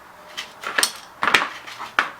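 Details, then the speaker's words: Tecumseh 6.5 fuel tank removed from a 2003 Toro Recycler 20016 mower found in the trash: short gritty rattling bursts as the tank is tipped, loose grains clattering inside; owner thinks kitty litter was put in the tank. Debris in fuel tank. "we have a clip we're going to remove i can hear you can hear all them i think it's kitty litter in there"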